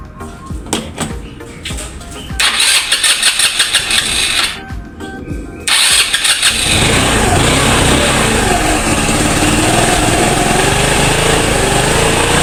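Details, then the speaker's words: Motorstar Easyride 150 motorcycle with misfire and no-start, battery faulty: after fuel system work, a few cranking attempts, then it catches and settles into a steady, even idle; misfire gone, blamed on spoiled old gasoline. "nh Ayun guys nawala na yung palya kasi palyado rin to eh"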